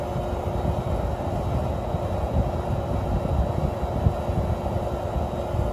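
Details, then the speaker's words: Window air conditioner, started on low after warming with a heater: steady even low hum with faint constant tone, no knocks or rattles, slow to cool but smooth; normal running. "'s got a very unique Sonic compressor and it also takes a bit to get cold but it works very well and it's very smooth running"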